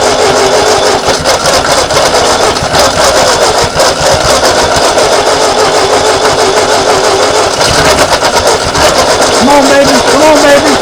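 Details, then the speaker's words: 1939 Ford tractor sat in a field 20+ years, first start attempt in 40 years; long steady cranking with occasional catches that never pick up, owner suspects too much gas poured in: extended cranking with intermittent firing. "it's probably got too much gas in there because I poured so much in so it's gonna have to turn over a little while before"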